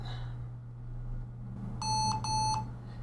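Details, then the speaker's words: Lenovo ThinkPad T460s laptop beeps twice about 8 seconds after power-on, then nothing; it was actually booting into Windows but the LCD backlight was dead from a blown fuse F7, fixed by soldering in a 0-ohm resistor. "This computer does not come on. When you turn it on, it beeps twice and that's it."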